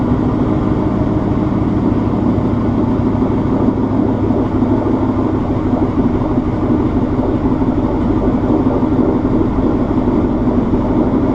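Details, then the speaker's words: Warm Ford Mustang Coyote V8 with stock headers, off-road X-pipe, no resonators and Corsa Extreme axle backs, after a fuel injector swap for a loud tick: loud steady unbroken burble, no tick; normal smooth idle. "It has stock headers, an off-road X-pipe, no resonators, and Corsa Extreme axle backs. So it's a pretty loud Mustang."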